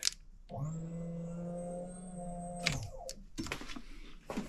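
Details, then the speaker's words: Foxbody Mustang 5.0 under reassembly, fuel pump hot-wired after finding spliced pump harness: steady electric hum for about two seconds then cuts off; pump runs but no fuel appears, owner suspects empty tank, not confirmed. "you can hear the pump going see any fuel so maybe the tank is empty and if it was empty that'd be sweet"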